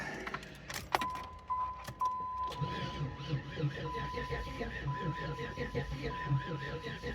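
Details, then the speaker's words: 1993 Firebird that won't start, cranked on a battery booster after tightening the positive terminal: after a chime the starter turns over with an uneven, lurching cadence and never fires; the engine is not turning over properly. "oh that Cadence is really not good I don't know if you guys can hear it"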